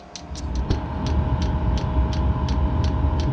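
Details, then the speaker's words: Chinese diesel heater in ice shack on restart after priming, fuel reaching the motor: pump ticking about four a second under a swelling low rumble as it starts to growl and lights normally. "Alright, she's starting to growl. That means it's got"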